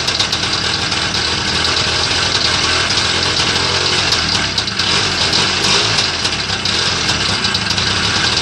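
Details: Homemade Muravey three-wheeler, first start after repair: busy, high-pitched buzzing two-stroke idle holding steady without stalling or surging; running normally.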